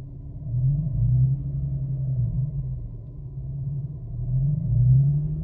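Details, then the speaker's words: 2009 Infiniti G37, 107,000 miles, muffler delete: a dull deep growl at idle in drive or park, heard only inside the car, swelling and fading, gone above about 2,500 rpm; no check engine light, cause unknown. "it's making this weird noise in the engine where it's like a it's almost like a little growl but i only hear it when i'm in drive or in park and it goes away after about 2 500 rpms"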